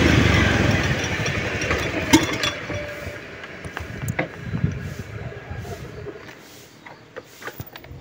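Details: Honda Beat FI scooter, owner's recording at home: engine catches, runs ragged and uneven, then dies; fuel pump pressure measured at only 30–35 PSI, abnormal, weak pump starving the injection suspected.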